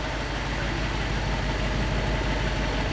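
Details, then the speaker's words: Gen 1 Audi R8 started after clearing fault codes: lumpy, irregular idle with an uneven beat and occasional dropouts in firing rhythm; rough idle misfire. "So start it up. Should run. Right, just misfiring."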